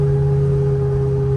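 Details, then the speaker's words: 1964 Chevelle wagon, aluminum 6.0 L V8, Gearstar automatic, on a test drive: steady constant-pitch drone over road noise, intermittent; owner says original 10-bolt rear differential has a bad ring and pinion. "I don't know if you're going to hear me over the howl. Can you hear that? That's a bad ring of pinion. Oh no, it's good now. Okay, it's bad again."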